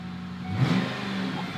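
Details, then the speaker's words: 1996 Ford Mustang GT convertible V8, wheels in the air during speedometer test: deep smooth revs rising and falling cleanly with throttle, no knocks or misses; normal V8 revving. "this needs a proper experiment and a test this will also give me an excuse to let you guys hear how awesome this engine sounds"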